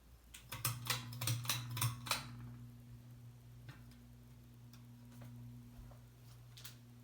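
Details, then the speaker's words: New 52-inch Harbor Breeze Caratuk River ceiling fan on low speed: steady low motor hum with a faint wobble underneath; fan hums a lot with some vibration, not too bad. "low as you can see as you can as you can tell this fan hums a lot this family it's definitely got some vibration issues for sure it's not too bad though"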